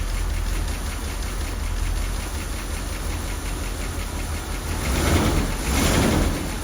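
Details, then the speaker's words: Rolls-Royce Corniche convertible V8 after replacing crumbling ignition leads. It misfired until two swapped B-bank leads were corrected to the proper firing order. Now an even, low idle burble with a brief rev blip and no stumbles. Normal idle. "it's good see the problem was you could hear it misfiring before I realized that I got two of the leads mixed up on the B bank and it's easily done it's one of them but all good now"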